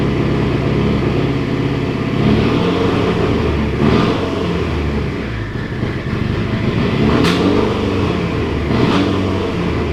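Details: Mitsubishi Evo 8 rebuilt engine run in gear with the wheels spinning to simulate driving: revs rise and fall with sharp pops and cracks through the exhaust, a misfire under load; the cause is unknown.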